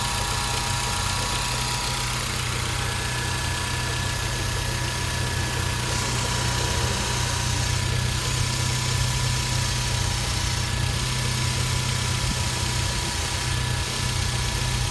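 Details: 2010 Hyundai Genesis Coupe 2.0T (BK1) idling with a steady high whine of fixed tones from a bad idler pulley bearing. Cause suspected, not confirmed.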